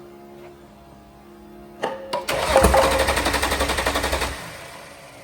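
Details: VL Berlina turbo build cranking after coil checks: starter churns with even compression pulses, roughly four a second, for two seconds, but the engine never fires; cause not confirmed.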